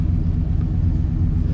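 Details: RV after a new fuel pump and new exhaust (free-flowing muffler, three-inch tailpipe), idling. Deep, even exhaust burble, steady, without puffs, rattles or leaks; exhaust sound and healthy.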